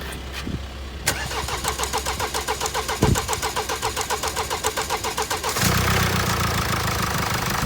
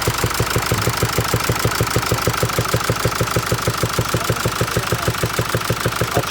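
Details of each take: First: 2016 Mercedes E-Class with 654 diesel engine, after repair of a strange knocking noise: starter churns about five seconds, engine catches and settles into a smooth even diesel idle with no knock. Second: 2016 Mercedes E-Class diesel with gear-driven (not chain) timing: idles with a sharp, regular knock, a little over three a second.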